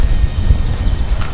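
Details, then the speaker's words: Two-stroke paramotor engine, test start in rain before the first flight, after earlier exhaust problems: a strong, even low drone with no misses or scraping; it is running cleanly and sounds much better. "fingers crossed we're making history today sounding much better"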